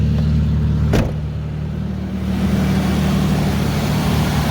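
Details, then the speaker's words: Ford Ranger idling after fixing an oil-leaking timing chain tensioner: steady, even idle with light injector clicking and no timing chain rattle, sounds normal. "that sounds good at least you can hear the injectors clicking away but i don't hear no timing team rattle"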